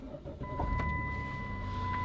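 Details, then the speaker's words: 2008 Dodge Caravan, 3.8 V6 with 62TE transmission: the starter turns briefly, then the engine catches at once and settles into an even idle with a faint steady tone. A normal start. "Now we'll see, the thing does start right up if I get the"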